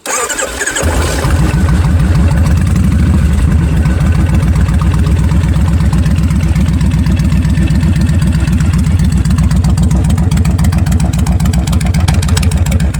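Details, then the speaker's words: Kawasaki Vulcan 1500 Classic, 1500 cc V-twin with Vance & Hines straight pipes, at idle; a loud, lopsided heavy thump with mechanical clunks like a heartbeat, normal for this engine. "you hear that clunking sound on that clunking sound it sounded like a heart a little bit"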